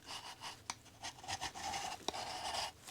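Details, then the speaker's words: Milwaukee cordless grinder run until smoking hot while cleaning foundation walls with a flat wheel, spun down: dry uneven scraping and rasping as it coasts instead of spinning freely; armature rubbing from failed bearing. "friction. That's not good. That's supposed to spin freely. It got smoking hot."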